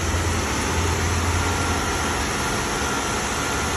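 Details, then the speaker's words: 2016 Jeep Wrangler 3.6L V6 after repair of a collapsed rocker arm bearing that had scored the camshaft: smooth steady idle hum, the former ticking gone — normal idle, no valvetrain tick. "Notice how after the repair, the ticking noise goes away and the engine's running smooth as it normally"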